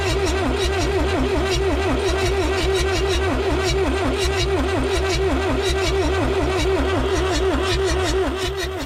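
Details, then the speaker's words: Abandoned Lull Highlander 844 telehandler, jumped at the solenoid without starting fluid: fast even cranking about three beats per second with solid compression pulses but no catch; cranks well, won't start, cause unconfirmed. "It sounds like there's compression. It sounds like we're turning it over fast enough where even if we had low compression, it should start."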